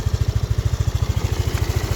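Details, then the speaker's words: Yamaha Aerox scooter that would not hold idle, started after refitting the ISC (idle speed control): a low, even putter that holds steady with no hunting or stalling, just over 1000 rpm, which the mechanic thinks is set too high; now idles normally. "Seperti yang kalian lihat ya, ini udah langsam ya, udah stasioner, langsam, udah hidup, udah normal lah."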